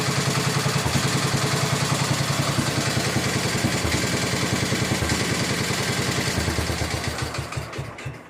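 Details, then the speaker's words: 1961 IH Cub Cadet Model 70 garden tractor, 7hp Kohler single, sat for years, just started with starting fluid: crisp evenly spaced thumps at steady idle, fading smoothly at shutdown. Normal idle. "Runs like a top. Fuck yeah! You idle? Freaking idle still."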